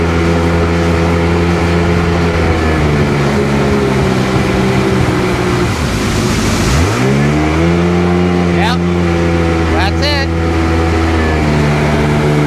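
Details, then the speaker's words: Rebuilt 951 Sea-Doo GTX DI two-stroke with all new parts, tested at the lake after fitting a new solenoid and hard line, idling around 1450 rpm: steady clean buzz, dips and revs back up smoothly without stumbling. Runs well; owner still suspects an aging fuel pump (about 25 years old). "And there she is, ready to go and running. And runs pretty damn good, too."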